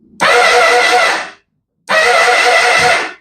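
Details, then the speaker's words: 2005 Honda CBR1000RR, rebuilt engine just installed with oil, fluids and battery, starter fitted by mechanic: two presses give a high, even whir with no compression beat, starter spins freely without turning the engine; starter clutch or improper connection suspected. "Doesn't sound like the motor's turning, eh? Something's not properly connected."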